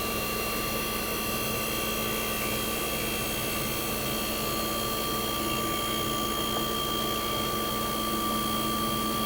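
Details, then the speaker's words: 1965 Fedders Weather Wheel 12000 BTU air conditioner, first spring 2023 startup, fired right up: even constant hum, steady mid-pitched tone over fan rush, no clatter or surging; suction line ice cold, output air ice cold. Running healthy. "We're going to fire it up in 3, 2, 1. Fired right up."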